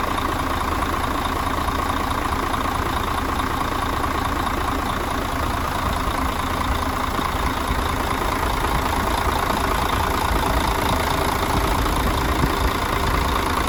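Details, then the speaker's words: Mercedes Axor truck OM457 diesel after full engine rebuild for foreign knocks, new filters; ran all day without complaints. Heavy, smooth, even idle clatter with no odd knocks: normal idle. "так друзья мы загнали автомобиль поработал у нас вчера целый день поработал всё хорошо нареканий никаких нету"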